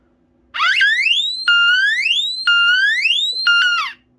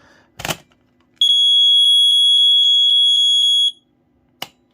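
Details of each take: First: D2 smoke alarm, favorite in the collection: instead of its proper tone the horn gives rising, swooping whoops about once a second; the wrong sound is blamed on a weak battery and fixed by changing it. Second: BRK 79R smoke alarm after its piezo sounder was replaced, tested on battery: clean piercing high-pitched tone held about two and a half seconds; sounder works properly.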